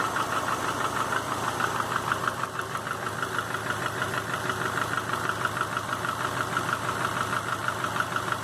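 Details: 2005 Subaru Legacy GT rebuilt (refurbished block, new crank and bearings, used rods/pistons and heads) after spun rod bearings; warm idle oil pressure 22psi, new plugs, no exhaust leaks, used VF40 turbo: sharp, even knock about three per second at idle, cause unknown.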